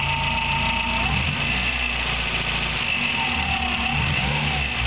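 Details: Engine at idle with a warbling bird-like chirp and thin high squeak, present two years and worsening; remains after alternator bearing and timing belt tensioner replacement and with alternator belt off; owner suspects water pump, unidentified.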